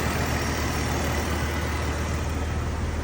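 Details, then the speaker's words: 2002 BMW 330Ci, hot restart while diagnosing a cooling problem: steady, even low idle with no tick; the intermittent ticking went away again; intermittent ticking absent at idle. "Wow, that's twice now where the ticking noise just goes away. I don't get it. Alright, ticking noise is gone."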